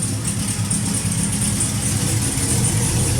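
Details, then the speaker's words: 1967 Chevrolet Camaro with LT4 swap, freshly fitted brand-new exhaust, first long idle: low, steady, even burble with no knocks or misses in this stretch, quiet now; normal idle, though a misfire and high idle were noticed afterwards. "It sounds quiet now. Nice. Does. Beautiful, dude. I like that."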